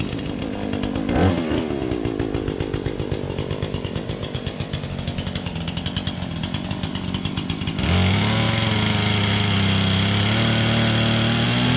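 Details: Engine started on choke: quick pulsing cranking catches around eight seconds into a steady, even high buzz; starts and runs fine.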